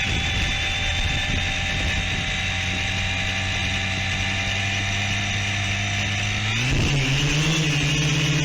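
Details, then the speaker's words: Quadcopter "Palantir 3" after re-flashing flight controller to iNav 3.0, on the ground while trying to re-arm before takeoff: steady multi-tone motor whine abruptly shifts pitch as the propellers rev up and down unbidden; cause not identified. "now at this point you i think you'll hear the propellers rev up and down a few"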